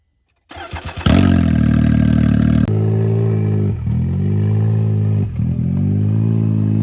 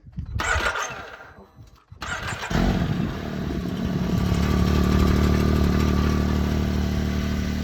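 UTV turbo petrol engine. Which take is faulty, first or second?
first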